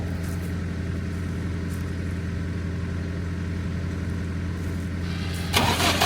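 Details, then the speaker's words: Diesel generator restarted after valve cover work, intake left off; uneven lumpy idle about three pulses a second while air still bleeds from the fuel system. Rough running from air in fuel. "Contact. Alright, we're still bleeding some air out."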